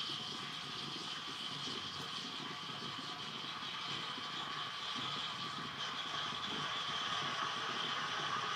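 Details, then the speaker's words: Gaggia Classic Evo Pro espresso machine steam wand after the boiler heats to steam temperature: steady, even hiss of strong dry steam with no sputtering or pulsing. Normal steam output. "so it's going to start creating a lot of powerful steam out of this steam one which it certainly does oh yeah that's plenty of steam"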